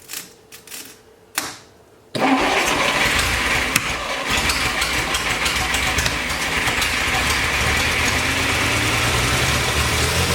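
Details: 1941 Plymouth Special Deluxe flathead barn find after freeing stuck valves: a few short cranking bursts, catches near two seconds and settles into a steady, even idle.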